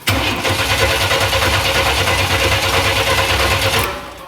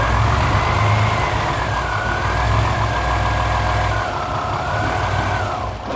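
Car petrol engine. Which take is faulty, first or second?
first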